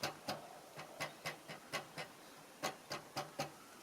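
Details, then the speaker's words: 2022 Tesla Model 3 aero wheel cover after the fix: crisp single taps on the plastic cover end cleanly with no buzz or rattle. It was previously rattling over bumps; the cover is now secure. "So now that I've done the three wheels, as I said, and they don't make that noise anymore when you go over the bumps."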